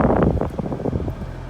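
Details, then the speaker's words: Toyota Prius cabin blower after repair, AC on, bolted back up: soft rushing airflow and low steady hum, no rattle or squeal. Previously the noisy blower needed a nudge to run and was replaced; normal quiet operation. "I got everything bolted then time to test it out now it's on and I couldn't hear any noise"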